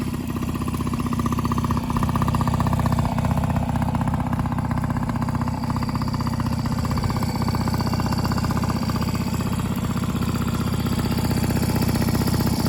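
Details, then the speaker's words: 1995 Yamaha PW50 two-stroke, long sat and frozen, now fully rebuilt (carb, cylinder top end), has compression and spark: first start after restoration, steady even buzz at constant fast idle, no misses or knocks; running cleanly. "all right i'm about to start this up so we can hear it run"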